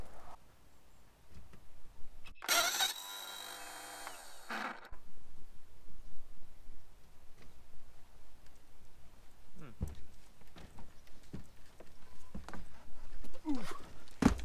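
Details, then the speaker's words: Outboard boat motor in neutral, new battery fitted: brief high even whir for about two seconds with no compression beats; starter spins but doesn't engage the motor, gears not touching. "didn't quite sound right did it that sounded like the starter was spinning but it wasn't turning the motor as if the gears aren't connected or something in there"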